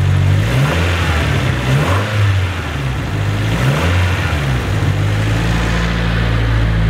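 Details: Nissan S14 SR20 revved after fitting a new JAPSPEED race exhaust manifold and fresh plug, previously quite blowy: several clean blips then steady drone, no puffing or ticking; exhaust now sealed.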